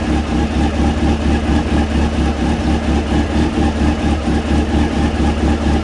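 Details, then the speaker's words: Honda CB600F, about 26,000 miles, after work on a misfire on cylinder two, started cold with tank temporarily refitted and air filter off: smooth, even low burble at idle with a steady pulse and no stumbles; all four cylinders firing cleanly. "I think that might be fixed. Um, yeah, it sounds a lot better straight away."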